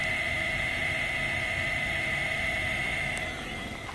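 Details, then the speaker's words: 2003 Ford F150 King Ranch, turn signals and brake lights out: a steady high-pitched buzz under the dash as soon as the signal is switched on, with no flasher click; caused by moisture in the multi-function switch. "I'm really hoping it's my turn signal relay cuz it goes off as soon as I hit my signal I'm really hoping it's not the multi-function switch"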